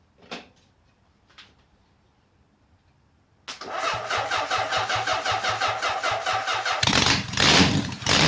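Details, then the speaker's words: Honda CB750 four-cylinder restoration, first start dry on choke; a few clicks, then fires and runs lumpy with an uneven stumbling beat; a bit rich with oil haze from oiled cylinders; misfire, one cylinder not firing. "Bit choppy, but we've got a running engine, so that's overall pretty good."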